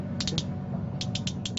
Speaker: so it sounds pretty good it's clicking into uh place that sounds like both pools and springs are operating correctly there so that's ready to plug back into the winch